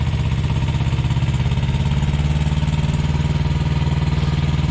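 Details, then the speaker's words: Thermo King Evolution truck APU diesel after inspection and repair, warming up, with the air conditioning just kicked in; a steady, even low thrum under A/C load, with no knocks or misses; healthy. "from the inside from the sleeper you barely hear that the reefer unit's louder than that is air conditioning just kicked in"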